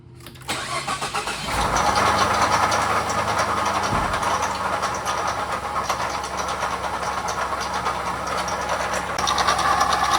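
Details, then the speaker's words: 2014 Ford F150 2.5 EcoBoost 4x4: after start, light constant rattle at idle from worn water pump bearings, pulley visibly wobbling and pump starting to leak. "oo, but the bearings and the water pump are shot. You can just hear it rattling."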